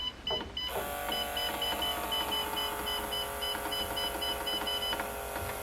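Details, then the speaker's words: SOLE E25/E35 elliptical resistance actuator, with broken brake cables that had stuck it on max resistance, driven to lowest setting: steady small-motor whine with light ticking about four a second. "Alright, now it's going to catch up. And you'll kind of hear it bottom out as it strains."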